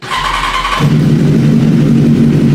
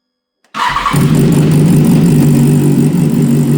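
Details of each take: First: BMW S1000RR (K46 inline-four) after a 1,200 km ride, before repair: starts and settles into a lumpy, uneven idle with a beat dropping out, tractor-like; dead cylinder from a fried ignition coil pack. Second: BMW S1000RR inline-four that sounded like a tractor from a heavy misfire, after replacing a fried ignition coil pack; fires instantly and settles into a smooth, even, steady run with no misfire stumble; issue solved.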